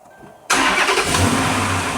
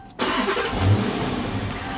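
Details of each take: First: Dodge Charger R/T after replacing both fuel pumps (suspected drain-back valve issue): engine catches instantly and settles into a strong, even idle with no extended cranking, normal start. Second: 2011 Dodge Charger R/T after a pump swap, fuel near empty: brief hesitation as starter catches, then steady running; owner says it only hesitates after sitting 30 minutes to an hour, cause unconfirmed.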